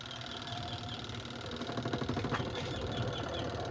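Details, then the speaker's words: Beltless washing-machine spin dryer with clothes loaded, after repair for a customer's creaking complaint (bearing or belt suspected), whirs steadily with soft rhythmic hum and no creaking; suspension fine. "So wala na yung langitngit guys. Wala na yung langitngit."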